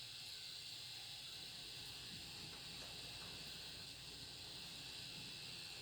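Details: Alienware Aurora R7, 850W power supply: steady high hiss-whine appears only when the GTX 1080 reference graphics card is under gaming load.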